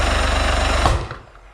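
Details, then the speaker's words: Non-running Suzuki DT65 outboard with power, fuel, compression and spark but spark timing suspect; rapid even chugging then one sharp bang as it dies, a bad backfire with raw fuel smell out the exhaust. "so backfire I'm pretty bad will not continually do that you get the point though so we're gonna have a look at the timing"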